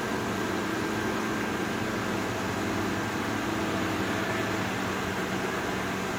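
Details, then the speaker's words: GE Profile air conditioner street find, set to cool at 61: steady fan rush with no compressor hum or kick-in; fans run but compressor not starting. "It's on 61. No compressor though. But the fans are running."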